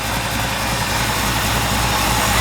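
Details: 1964 Impala SS V8 after carburetor rebuild: even, steady idle with a smooth low rumble, no misses, knocks or hunting; normal idle.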